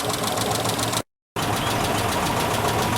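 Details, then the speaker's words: Isuzu Trooper (or Honda Passport) V6 with head gaskets done months earlier, cylinder-by-cylinder unplug test; rough uneven loping idle, no change when the rear cylinder is unplugged, suspected lack of fuel, spark or compression there. "Now, watch what happens when I unplug it. No change. No change in noise at all. So, basically what this tells me is that this back cylinder, something's going on with it."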